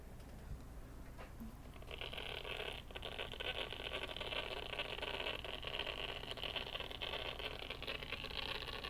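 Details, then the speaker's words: MacBook A1466 powering up on USB-C at 20 V: a harsh, gritty, metal-on-metal whirring grind from the cooling fan with a worn bearing. "It's definitely the fans making that noise. Oh, that is just terrible."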